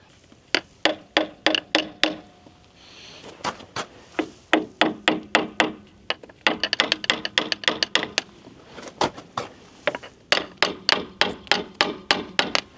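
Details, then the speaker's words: John Deere mini excavator bottom track rollers, which were squeaking, hammer-tapped at about three taps a second. One roller answers slightly duller than the rest. Owner wonders if the rollers are seized and plans to replace them. "both that one sounds a little different I wonder if they're all seized let me go check the other side"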